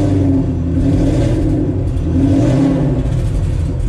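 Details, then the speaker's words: Fox body Mustang, Coyote V8 swap with Whipple supercharger, 800 hp target, first start on base startup tune: deep steady run picking up smoothly on light throttle, no stumble or misfire; PCM still has to learn. "It's not really stumbling or anything. Yeah. Obviously the PCM's got to learn and all that, so."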